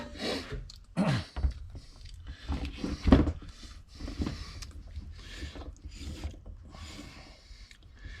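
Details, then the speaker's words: Transmission front pump air-tested on the bench, with one hole blocked by a finger: air bursts and sharp mechanical clicks as the overrun clutch activates. The clutch is not working in fourth gear and locked in other gears. Normal engagement. "Here it is. And you can hear the the overrun clutch activating but"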